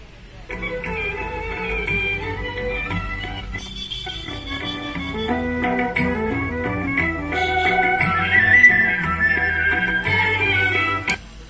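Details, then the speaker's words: Kenuo tower amplifier after the humming fault was fixed at the 6800µF/35V capacitor with cleaning and resoldering, playing folk music through AUX input: clean output with no mains hum. "Sound கரெக்டாக இருக்குது. ஹம்மிங் வரல. Humming check பண்ணுற பாருங்க. ஹம்மிங் வரல."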